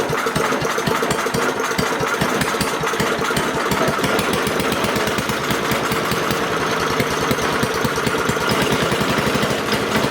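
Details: Craftsman 5 hp wood chipper single-cylinder, revived after sitting 3 years jammed: fast, even putter with regular exhaust pulses, no misses or surging; initial smoke, likely WD-40 or PB Blaster, cleared and exhaust ran clean. Running smooth.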